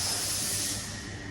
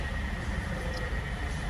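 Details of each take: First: 2002 Nissan Altima with a used replacement engine, high idle and surge: sharp airy hiss over a quiet engine from a split vacuum hose patched with electrical tape; vacuum leak, hose needs replacing. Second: 2002 Nissan Altima with replacement engine, after idle relearn fixed high idle and surge: quiet, steady low idle hum with a faint belt whine, no hunting or surging; idle now normal. A faulty power steering switch was also noted.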